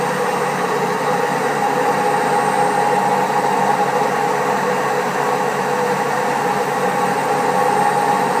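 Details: Servis Caress 1300 A washing machine, also with a creaky pump, spinning at 1300 rpm: steady loud roaring rumble with faint whine; very bad drum bearings.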